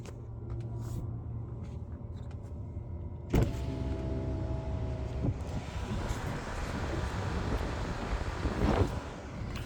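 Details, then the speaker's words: Tesla parked at a Supercharger at about 50–53 °F, 14% charge, charging rate limited by low battery temperature: soft steady low buzz as the car warms its battery; normal. "so we're still at 50 53 degrees today you can hear the car buzzing"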